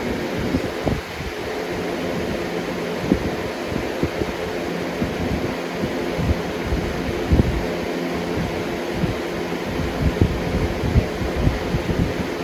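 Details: 2005-06 Lasko Premium box fan model 3723 on high: steady whooshing hum with irregular low airflow thumps, no rattle or grinding; normal running.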